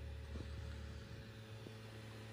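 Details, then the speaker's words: PS5 disc drive: steady hum and whir as the disc spins; drive noticeably loud compared with Xbox Series X, cause unknown. "annoying the ps5 is on the disk drive look i'm not even loaded into the game yet"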